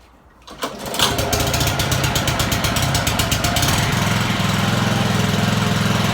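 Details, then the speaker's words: Honda mower after carburettor cleaning; it had been surging at idle and cutting out because of dirt in the idle jet and float chamber. Normal idle: starts and settles into a steady, even single-cylinder putter with no hunting, and revs nicely. "we've clean that little idle jet out and it's running like a dream it's this idling like it should revving nicely ready for the new season"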